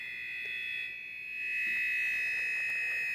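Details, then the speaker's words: Signal tracer pickup, emitter off, scanning a TI-99/4A console board: steady high electronic whine near 2 kHz with faint ticking, picked up over the ROM chip, the noisiest chip found. "is pretty noisy so it's funny that Chip's the worst eh now I'm going to leave it there cuz it's pretty noisy"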